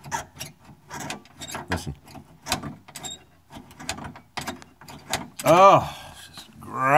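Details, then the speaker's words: Dry, unlubricated door latch on a GM K5 truck, worked by hand before Fluid Film: uneven dry scraping creaks and a rising squeal as the latch spring and shaft grind. "What do we got here? Squeak, squeak. Oh, it feels nasty."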